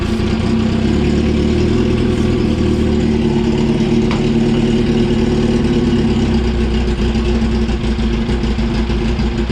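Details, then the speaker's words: 2004 Yamaha R1 unstarted for over 10 years, on fresh fuel: it revs up and settles to a fast, lumpy idle; owner suspects it runs only on ether, not its own fuel, and has found no cause. "Anyone out there that knows anything about bikes, let me know if I've missed anything, because as far as I can tell, this thing should be running. I don't know what else it could be."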